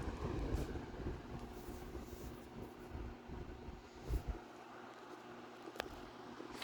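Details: Vornado 280SS 10" variable-speed desk fan from the mid-1990s at medium-low, near medium, drawing just under 1 A and about 53 W. A quiet, even low hum with faint steady tone and soft airflow, no rattle or ticking: normal running.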